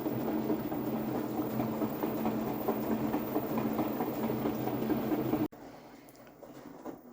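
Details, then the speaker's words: LG front-load washer WM4200HWA, before the drain pump was replaced; rough, gritty grinding over a low hum and water swish at the start of the cycle, felt low in the machine. The drain pump is failing. "now it's grinding even more than the wash cycle coming from here you can feel it right on here"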